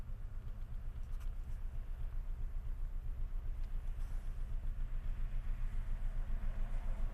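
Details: Unexplained knock at idle with the mirror shaking and vibration in the steering wheel: deep, regular thudding about four beats a second, heavy enough to feel; cause unknown.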